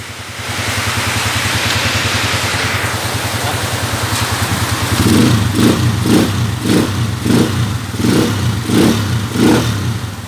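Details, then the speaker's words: 2010 TMX155 motorcycle, formerly noisy with a ticking and meow-like sound, after adjustment: single cylinder revving in steady bursts with a clean, even exhaust beat and no whine; smooth, healthy running. "Okay so Yan na yung andar niya mga bro smooth na wala y maingay kanina brother konti"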